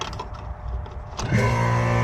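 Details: AC outdoor condenser unit just after replacing a weak capacitor: a brief quiet, then the compressor and fan kick in together and settle into a steady low hum. It now starts promptly and runs normally.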